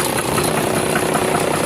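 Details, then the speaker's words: Cummins diesel with heavy smoke, idling with a heavy rapid knock each firing that sounds like a knocked bottom end but is a faulty injector. "Mas não se preocupe não que isso aqui não é motor bate não falando aqui é bico injetor"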